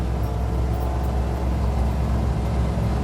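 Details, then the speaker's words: 1972 International 1210 after intake gasket vacuum leak fixed, carb with 500 CFM #74 jets: second prolonged uphill pull at quarter throttle, deep steady rumble holding even, no stumble or surging; healthy under load. "Okay, I'm gonna go up this hill for a prolonged pull. Second pull."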